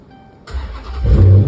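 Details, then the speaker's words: Dodge Charger after a P0340 camshaft position sensor A (bank 1) code was fixed by replacing the sensor and repairing a connector with broken pins. It previously took a minute to crank, now catches at once and settles to a steady low rumble. Oil pressure about 55 psi. "as you can see because at first it was starting up and it would take a minute to start so now"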